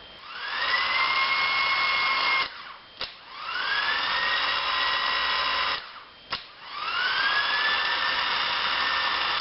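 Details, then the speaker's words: Starter from a 2000 Ford F150 5.4L on the bench, 12 V fed through a toggle switch, solenoid freed after a few taps: three clean spin-ups climbing quickly to a steady high whine then running down; starter motor spins normally. "taking a few Taps on this turn it on and now it went okay we're going to try to run the entire starter now"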